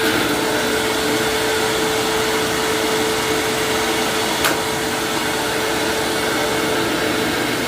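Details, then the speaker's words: 1999 Hoover self-propelled WindTunnel upright vacuum running, brushroll possibly still spinning after being switched off: steady roar with thin constant tone and light rattle from around the brushroll; brushroll rattle. "I was trying to turn off the brush stroll but it kind of looked like the brushroll was still spinning so I don't know if that's broken or if it just slowed it down a little and it's supposed to do that but you could still hear that rattling noise"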